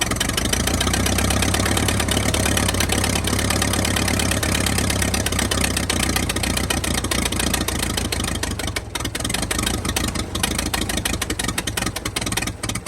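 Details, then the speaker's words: 1922 International truck, sat 30+ years, just restarted after refitting a bolt that leaked compression and a loose plug wire: irregular, stumbling beat with dips in exhaust pulses; rough running, owner suspects a sticking valve. "okay she going to run we got a valve sticking or something she just ain't doing right"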